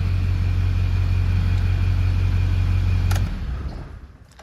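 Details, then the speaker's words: Built Duramax diesel (studded, keyed crank, built transmission, regular non-alternate-firing cam) after repair, heat cycles and coolant flush. Deep, steady drone with no knocks or rattles, then a clean shutdown. Runs excellent after about 20 miles. "But this thing is an absolute monster. I've drove it maybe 20 miles on it, and the thing just runs excellent. The engine sounds great."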